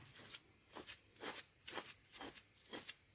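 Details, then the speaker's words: Land Rover Discovery 3 (LR3) old front hub removed and turned by hand: gritty rasping scrape surging about twice a second, couple millimeters play; badly worn front wheel bearing, new hub silent and smooth. "that's the noise so the bearing is gone it's it's gone pretty bad actually and hence I can still feel the at least a mid couple of millimeters movement"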